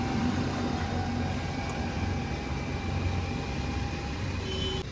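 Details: Maruti DDiS diesel with about 1.5 lakh km: steady even low diesel hum at idle, no knocks, ticks or misses; engine sounds healthy.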